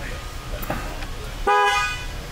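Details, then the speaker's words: 2013 Dodge Ram 1500 with prior no-horn complaint and LIN bus fault U1009-00, key off, airbag disconnected: one short, clean, strong horn blast with a steady tone; horn working. "do we have a horn yes we do keys still off but we have horn"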